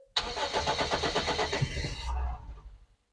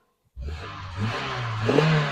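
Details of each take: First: Daihatsu found sitting in a field, not run for many years, first start attempt after tightening battery leads: brisk even cranking about two seconds, then a brief low rumble as it catches; engine cranks and starts. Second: Daihatsu Terios found in a field, unused for many years, started after tightening battery leads: engine fires straight up and revs unevenly, pitch climbing in uneven steps; running again after long storage.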